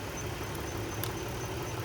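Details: 2010 Dodge Journey SXT V6 at idle after alternator replacement (old alternator had stopped charging and whined): steady, even idle with smooth low hum, no knocks or squeals, battery light off, about 14 volts charging; normal idle.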